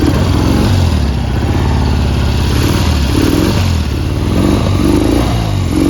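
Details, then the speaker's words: 1972 Triumph Bonneville T120V 650cc twin, 26,729 miles, kick-started: low, lumpy, uneven beat with stumbling and surging, lazy when revved; rough running, sluggish, owner suspects carbs need cleaning and probably points. "It's a running bike. It's not running very smoothly. It needs the carbs cleaning, and probably set of points."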